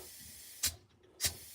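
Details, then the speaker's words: 1963 Impala air suspension, raised with the rear and front controls: short sharp hissing bursts as the valves fire and the air bags fill normally. "and you got the front up, which is great, right? All right, they work,"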